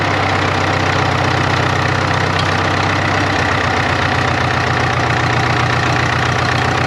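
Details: 1939 Caterpillar D4 (RD4) crawler with D4400 diesel, first runs after rebuild with head being retorqued to 135: steady even diesel clatter at constant idle, no misses or surges; possible wet stacking, needs break-in; normal idle.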